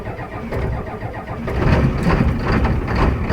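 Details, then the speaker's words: Ford 7.3L IDI diesel one-ton dually, parked 3 years, cold start at about 50°F with mismatched glow plugs: cranks and catches roughly into an uneven lumpy idle with irregular knocking. "3 2 1. That did not sound good."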